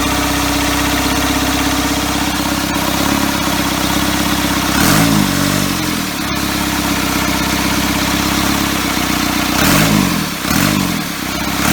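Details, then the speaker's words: First start of a first-ever engine build on custom motor mounts, at night, needing extra fuel: catches and settles into a slow, lumpy idle, with a couple of throttle blips to keep it alive; idle way too low. "oh woohoo way too low way too low there we are"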